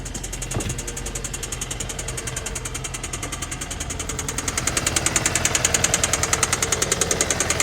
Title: 2014 Santa Fe - Knocking Noise